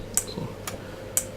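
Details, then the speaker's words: Relay module wired to a +5 V power supply with its control signal from a signal generator, switched about once a second: sharp, light, evenly spaced clicks in a quiet room; normal clean relay switching. "So here you hear it clicking away, and then you can see it in the oscilloscope also."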